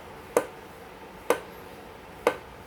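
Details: New Yesoul S3 exercise bike: three sharp crisp clicks about a second apart, once per pedal stroke from left pedal area while pedalling, starting right after assembly; cause not found.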